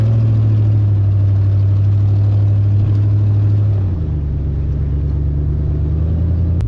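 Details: Jeep WJ Grand Cherokee driven slowly around a yard before the exhaust leak was fixed: deep throaty rumble with a rough puffing edge from the leak.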